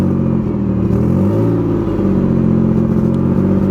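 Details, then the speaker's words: 2005 Ford Five Hundred, low-mileage, idling and revved: lumpy hunting idle with dropped pulses, worse at idle than under throttle, plus exhaust-leak puff; intermittent misfire, owner suspects fuel injector or coil pack. "Funny, it seems to misfire more. It seems to miss more at idle than it does when you're giving it gas."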